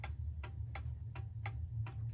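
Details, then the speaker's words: Restored antique German alarm clock (c. 1898–1902) running accurately after repair: crisp, even ticks about three per second, steady spacing, no skips or stalls; normal ticking. "it will be running accurately and it's functioning the way it's supposed to"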